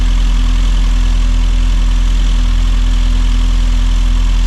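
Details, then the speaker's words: Rover Mini Cooper S Sport 5, 106,000+ miles, just after fuel injector replacement, cold start: steady, even idle with smooth low hum, no misses; rough idle previously appeared only when hot. "obviously it runs fine, it ran fine before when it was cold, it was when it got hot."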